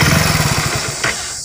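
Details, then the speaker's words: Hero Splendor BS6 motorcycle with check engine light on, restarted after reconnecting a socket, still before ignition off and reinstall fix; thumping idle slows, loses rhythm within a second and dies; stalling at idle. "देखिए अभी भी सिलो नहीं रुक रही है।"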